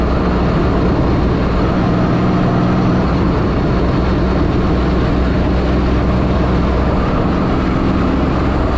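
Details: 1984 Fiero wide body with 3800 V6 swap, under way after new header gaskets replaced reused ones and a V-band clamp was added: smooth low cabin drone, no ticking or puffing from the manifold; the exhaust leak is fixed and quiet.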